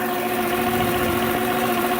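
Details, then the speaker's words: 2001 Dodge Grand Caravan after transmission and torque converter work: smooth, even idle with no scraping or rubbing. The earlier scraping noise, traced to a misseated gasket, is gone and the engine sounds as before the repairs. "an hear the engine is running the noise is gone she sounds just like she did right before I started doing all this work"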